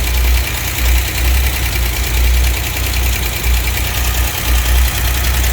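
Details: 1963 GMC K1000 4x4 with a low, lumpy idle that surges and stumbles. Ignition timing is about 10–15° after top dead centre, against a spec of roughly 2–7° before, so timing is badly retarded.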